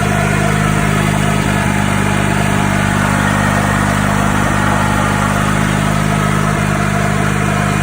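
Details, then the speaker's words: 1995 EZGO golf cart Robin single-cylinder engine, refreshed and just installed, first start: steady even putter at fast idle, much quieter, no rod knock or tapping; normal running. "The difference, much quieter. It's not knocking no more."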